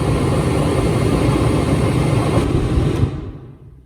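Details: Jeep Cherokee XJ four-door used as a noise reference: steady low air whoosh with even rumble, no rattles or squeals, then winding down; blower sounds normal.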